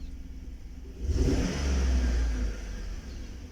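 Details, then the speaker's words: 2012 Chevrolet Tahoe with an engine misfire (P0300), heard as a short rev rising and falling with an uneven, stumbling exhaust pulse; traced to worn spark plugs, with weak spark on cylinder 1 and misfire on cylinder 7; plugs need replacing. "شفنا واحد ما عاد في شيء ضعف بواجي لازم تغير بواجي"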